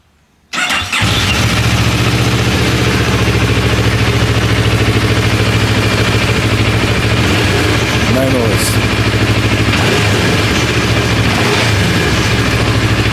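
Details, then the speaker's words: Idle of a bike with a lumpy-sounding 270-degree-crank twin after the cowl vibration fix (loose 4mm bolts found): steady uneven-firing idle, no buzz or rattle from the front bodywork plastics; normal idle. "It's got a beautiful sound, and the plastics just seem to vibrate off their heads."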